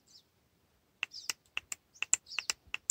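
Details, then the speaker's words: Purge solenoid, bench-tested with battery voltage on its terminals, gives crisp, sharp clicks at an uneven pace, snapping open normally when energized. "we can hear the solenoid is clicking let's try another one through from Dodge Grand Caravan yeah this one is make an audible click as well"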